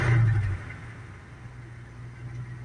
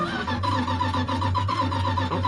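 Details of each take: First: Dodge Power Wagon V8, after a brief rev, drops to a quiet, low, even idle off choke with no misses; temperature rises but doesn't run away, radiator probably just low. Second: Old Dodge Power Wagon bought sight unseen, fire test during a winter storm: starter cranks with a lopey, galloping beat, some compression strokes weaker than others. Cranking to build oil pressure; the cause is not yet known.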